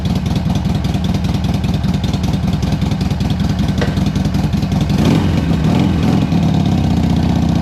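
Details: 2007 Harley Sportster 1200 Custom after no-start and oil leak repairs, possibly low or old fuel: lumpy, loping V-twin idle with steady uneven beats, no knocking or rattle; sounds healthy.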